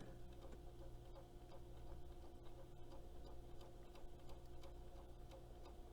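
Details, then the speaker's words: Nivico 4TR-990 stereo console turntable, motor oiled and corrosion cleaned off, runs with a quiet motor hum and a soft, regular ticking thump. The idler is suspected of being out of whack or not perfectly round. "You can hear it kind of thumping. Yeah, I think this idler might be a little bit out of whack."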